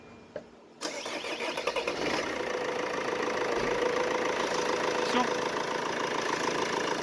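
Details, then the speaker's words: Mercedes Vito W639 OM646 diesel, cold start after fitting a shorter belt bypassing the AC compressor pulley: brief crank, catches at once, steady even idle with no squeal or knock; previous cold knock and squeal gone. "звука нет владелец автомобиля может спокойно эксплуатировать дальше чтобы не переживать что что-то заклинит там оборвётся и он будет стоять Без привода ремня генератора"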